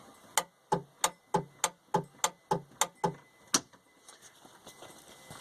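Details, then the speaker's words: Penguin engine that sat unused for some years: about ten sharp dry clicks from the starter solenoid at the key, no cranking, because the engine is stuck and won't turn over. "And what you're hearing is the starter solenoid is simply clicking when I turn the key. Now, I've discovered that when I put it in Penguin in gear, and try to move it, put it in gear, the engine doesn't turn over. So, I have concluded that the engine is stuck."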